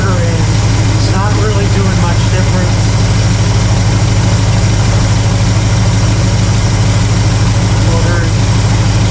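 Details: Warm carbureted V8 (1968 Pontiac LeMans or Chevy C10) during quarter-turn idle mixture screw adjustment, vacuum slightly low: deep, steady idle with an even low thump, no misses or knocks. Normal idle.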